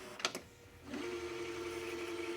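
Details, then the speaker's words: 1985 Magnavox VR8530SL01 (Panasonic-built) VHS VCR on original belts, rewind search with a full reel: a couple of clicks, then a steady motor whir that spins up fast and holds even pitch. Quiet braking solenoid, no slipping; normal transport. "nice and strong. Actually has a much quieter braking solenoid than the Sylvania version. So it had no problem getting up to speed right there."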